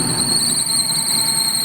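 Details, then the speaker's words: Maruti Eeco at idle: steady piercing high squeal starts as soon as AC is switched on and persists after AC off; loose alternator belt slipping. "जैसे ही मैं AC का button Dabangg और यह देखिए आवाज आना शुरू आवाज आने शुरू हो गई"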